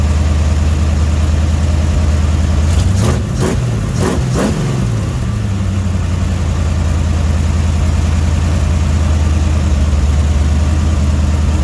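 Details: Dodge 318 V8, budget rebuild, reinstalled after a broken flex plate was replaced and cam and lifters inspected; oil pressure 60 psi, temperature 175–180°F: a steady low idle burble, with quick throttle blips rising and settling cleanly back to idle; healthy.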